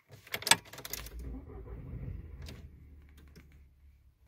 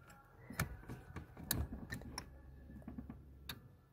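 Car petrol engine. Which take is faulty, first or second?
first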